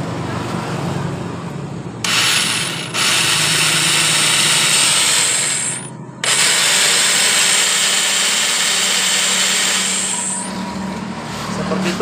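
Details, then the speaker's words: Yamaha Mio Soul carburetor scooter after belt and roller replacement: electric starter whirs high and thin in bursts from the CVT case without catching the engine. Suspected one-way starter clutch slipping, grease found packed around it. "suara sleep kemungkinan di bagian one way nya ini sleep karena saya sudah melihat di bagian bautnya ini yang dipenuhi grease seperti ini"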